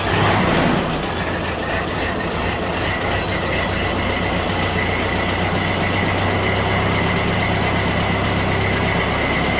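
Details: 1931 Ford Model AA barn-find truck four-cylinder first running after new 6-volt battery and confirmed spark; steady loping idle about four pulses a second, no knocks or misses.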